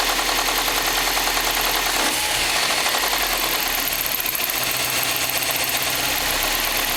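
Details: Subaru STI at idle: steady knocking about two and a half per second that sounds like rod knock, piston slap or a spun bearing, but the cause was a bad belt tensioner.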